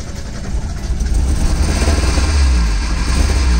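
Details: Mazda Miata after starting: low, lumpy idle with an uneven beat of about four pulses a second that never settles, with smoke and engine shake; flooding was suggested but doubted, so the cause is unknown.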